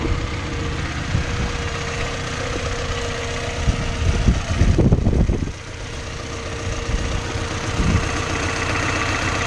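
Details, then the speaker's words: 1990 Honda Civic idling with a steady mid-pitched whine from the alternator that stops when the alternator shuts off; charging system diagnosis, only four volts measured. "you hear how the alternator shut off you hear that whining noise go away"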